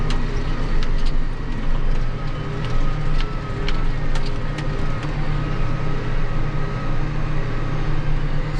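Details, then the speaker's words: John Deere 8345R tractor diesel idling; a failing fan clutch gave a rod-knock-like sound at idle without throwing codes, the fan suspected over engine. Steady low smooth drone, no knocking or clatter. Normal idle. "I said well they won't we'll get over here and we'll see what she sounds like sitting there idling"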